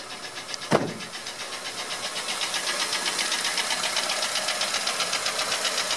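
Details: 2004 Honda Element EX AWD, 2.4L i-VTEC, 167,000 miles, no check engine light: light quick tapping about four per second at idle from startup, unchanged with serpentine belt removed; valves adjusted and timing chain cleared by dealer; owner found piston slap on cylinder 1.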